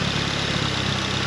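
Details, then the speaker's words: Nissan B13 Sentra turbo (GA16) at idle after brake booster replacement fixed a vacuum-leak idle issue: steady, even low rumble with no idle hunting; normal idle. "now let's start up the car with this one and let's listen the car idle [Music] fire's going on you guys can listen how it sounds [Music] as you can see there's no idle search sounds good"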